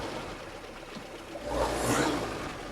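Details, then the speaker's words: 66-year-old Land Rover petrol engine restarted after replacing a broken valve spring and damaged parts: quiet tick-over with a light rev blip settling smoothly back; healthy idle after repair. "There we go. She's sounding good as well. She lives."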